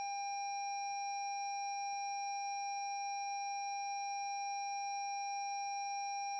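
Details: 2017 Lexus NX 200t with new battery after a reversed-polarity jump-start sparked: steady unbroken electronic dashboard warning tone, no engine; starter won't crank on start button; locks, signals, high beams work, fan, parking brake, transmission dead.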